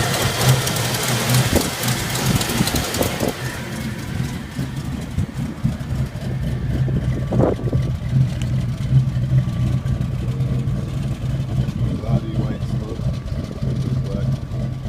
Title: 1992 Ford Mustang 5.0 misfire